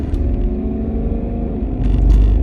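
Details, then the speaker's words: 2005 Range Rover L322 TD6 diesel, 190k miles, driving in sport mode pulling into traffic: even deep diesel rumble under road noise, smooth pull, no knocks or misses; engine runs nicely, only suspected faults are fuel system, glow plugs and engine not reaching working temperature. "the engine runs really nicely uh I don't think there's anything I don't think there's anything substantially wrong with the engine other than the fuel system"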